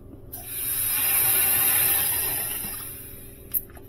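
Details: Sub-Zero 427R wine system, high-side line pressurized with compressed air after the nitrogen ran out: a loud steady hiss swells for about three seconds, then fades; gas escaping from a refrigerant leak found underneath.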